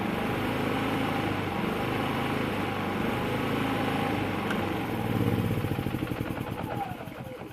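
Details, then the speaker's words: Predator 3500 generator, three years old, cold started and just moved off choke, no load: steady drone surging up and down without stalling; speed hunting, owner suspects choke hunt. "it's still oscillating a little bit i don't know if that's a choke hunt it probably is but it doesn't sound like it's going to stall it's just kind of running up running down"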